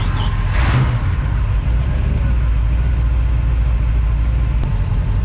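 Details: Crusader inboard boat engine after injector rebuild and rail cleaning, vacuum now 15 versus 12 before; deep, even rumble settling into a smooth idle with no misses or knocks, running much better.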